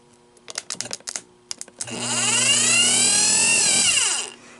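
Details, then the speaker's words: 1984 Honda ATC200ES starter motor, previously rust-seized, bench-tested on a jump pack: bursts of clicks then a clean whirring whine rising, holding and winding down smoothly; spins freely without grinding. "I'm going to put the jump pack to this hopefully she spins round and round real nice"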